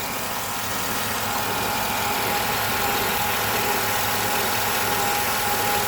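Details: 2007 Chevy Avalanche 5.3L Vortec V8, 124k miles, idling at normal operating temp in 30°F weather: faint regular knock about four per second under hissy mechanical noise; owner notes cold-start knock that fades when warm, oil pressure above 40, possible pulley squeak; cause unknown.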